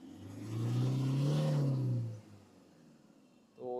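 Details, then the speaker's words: Toyota Innova diesel after replacing faulty 3-socket injector driver (EDU) that caused idle vibration and check engine light: blips up smoothly and drops back to a quiet, even idle with no shake or misfire; no DTCs, healthy rev. "तो ये अपना पूरा vibration बंद हो गया। Engine एकदम silent हो गया। ये पहले ऐसा हिलता था। अभी हिल नहीं रहा है।"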